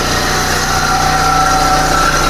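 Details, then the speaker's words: Proton Persona Campro at idle, cover removed: coarse rough rumble with faint thin whine; traced with long screwdriver to strong vibration at alternator, worn alternator bearing. "Kita sambung lagi masalah bunyi kasar. Bunyi macam ni. Bearing eh bearing."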